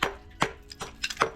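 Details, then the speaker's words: Hammer tap test on a spa step's pebble finish: top sounds solid, but taps on the vertical face ring dull and hollow, showing delamination. "So I'm sound checking with a hammer, and on the top side it sounds good. On the vertical side you can hear it sounds hollow."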